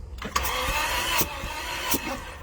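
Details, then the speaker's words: Toyota Tarago/Previa/Estima 2TZ-FE engine just rebuilt with new head gasket and replacement cylinder head, cranked without spark plugs to prime fuel and oil: starter drags sluggishly, battery too low to turn it over properly. "would have been nice compression, but my battery is really low, so it barely turned over."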